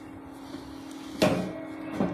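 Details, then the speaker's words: Benz BZ 8914 MMA-120A IGBT welder cooling fan, modified with a DC-DC step-down converter feeding about 12 V instead of 24 V: low, steady, quiet hum, still good airflow; previously very loud. "Oke, kipasnya sudah nyala. Pelan sekali ya. Untuk anginnya juga lumayan masih kencang. Untuk suaranya ini sangat pelan ya kalau sekarang."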